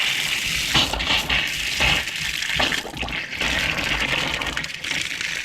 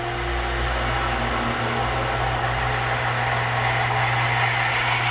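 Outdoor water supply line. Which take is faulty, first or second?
first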